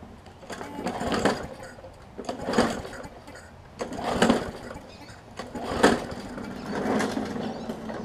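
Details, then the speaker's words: Newer Murray push mower with water in the gas tank and carburetor and oil contaminated with water, started on concrete after carb cleaner: fires in ragged bursts, fading between, never settling, water coming out of exhaust; sputtering from water-contaminated fuel. "literally water coming out of the exhaust it's pretty bad really bad actually so we're pretty much got straight water in the gas tank here"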